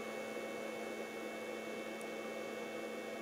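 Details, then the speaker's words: Pyle 600 W power inverter (300 W per side) running a 230 W tool at full speed: a steady, even hum with a fixed whine and no dropouts. Draw is up to 2.4 amps and the battery sags to 12 V; it handles the load normally. "230 watts should be fine because this is a 600 watt and so it's 300 aside and this is 230 so this should handle it no problem"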